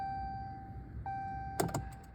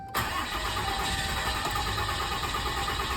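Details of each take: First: 2017 Dodge Ram 2500 Cummins 6.7 diesel during fuel filter change: key-on cycling after new filters installed; thin steady hum with quick clicks as lift pump primes and fills filters; normal fuel lift pump priming. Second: 2017 Dodge Ram 2500 Cummins 6.7 diesel first start after fuel filter change, key cycled only 7-8 times instead of 10-15; long labored cranking into uneven stumbling catch slow to settle; hard start from air in fuel system.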